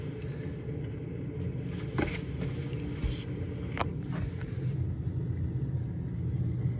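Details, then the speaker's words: Barn well pump test run after replacing a leaking isolation valve and PEX to the water heater, hose bib open: low even motor hum with steady flow noise, no chatter, knocking or short cycling; runs normally. "And I have a hose bib on, so we'll go ahead and crank the well and then go turn that hose bib off. All right, she's going live."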